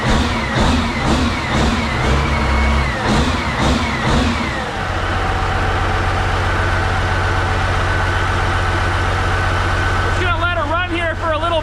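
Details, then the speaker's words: CAT 3412 twin-turbo diesel from a 992D wheel loader, warming to lukewarm: a few rough firing bursts, then a deep steady even drone with no miss or knock; zero blow-by, healthy motor. "that's a sound of horsepower right there baby check that out zero Blow by that's a healthy motor right there"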